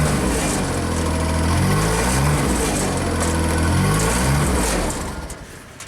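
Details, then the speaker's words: JLG Baby Scissor lift small engine, new crankshaft position sensor; scanner shows actual speed not matching target when a function is activated, engine surging up and down about every second; bad sensor waveform. "So now, if we activate something, let's look at our target speed. That's a problem. Why is our actual speed not matching?"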